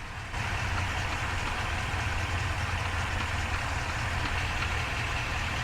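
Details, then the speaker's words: Ford F-350 7.3L with 10-speed transmission, about 2,500–2,600 miles and not yet had its first oil change, recorded from underneath at idle with the microphone near the transmission: a steady rumble with a dull, fast, even knock that seems to come from the transmission. Cause suspected, not confirmed. "let me know if you can hear this knocking noise I don't know if it's coming from the engine or the trance"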